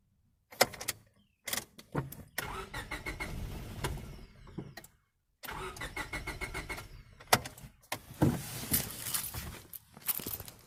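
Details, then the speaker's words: 1998 Honda Civic EX, D16Y8 five-speed: repeated short cranks where it catches, runs a few seconds and dies each time; fuel starvation, owner suspects the fuel pump is shot. "I'm thinking maybe that fuel pump might just be shot foreign I might just have to call it for now"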